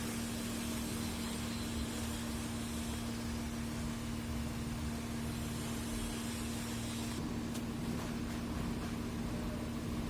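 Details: 2011-2017 Porsche Cayenne diesel after no-start, no-communication fault (starter not turning) fixed by replacing a relay: steady, even idle with constant low hum, no knocks, stumbles or misses; running normally.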